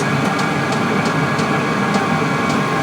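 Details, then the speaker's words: Vevor 8 kW diesel heater fully warmed up, interior around 18–20 degrees, switched from setting 3 down to the lowest setting: a soft, even fan rush and combustion hum with a light pump tick about twice a second. Normal running. "it's going to be the lowest speed and then you'll be able to to kind of hear the sound difference between this"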